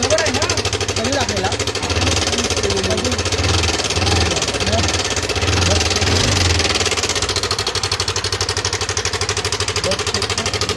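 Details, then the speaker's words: Yamaha Aerox scooter engine: a rapid metallic 'kit kit' ticking rattle caused by a failed cam chain tensioner with a broken spring, fixed by installing an original replacement tensioner. "गाडीचा हा चन टेस्टर होता खराब झाला स्प्रिंग तुटली त्याच्यामुळे kit kit cut kit आवाज मारू होता"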